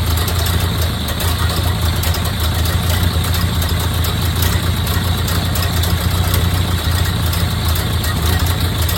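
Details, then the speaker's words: 1929 Ford Model A Tudor rebuilt four-cylinder finally running after 40+ years sitting: low, steady, even idle with no knocks, misses or hunting; purring smoothly, healthy. "[Engine idling smooth] [Yay!] after 40 years sitting... Purring away."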